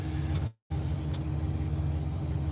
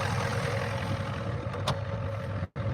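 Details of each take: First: Ford diesel, warmed up at 210, running on a battery borrowed from a skid steer: deep steady idle with an uneven, lumpy beat that doesn't sound happy. Owner suspects a clogged fuel filter but the cause is unknown. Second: Ford diesel, started with ether because glow plugs don't work, running on a borrowed battery: steady, even diesel clatter at settled idle with firm low rumble, no knocks or misses; healthy normal idle.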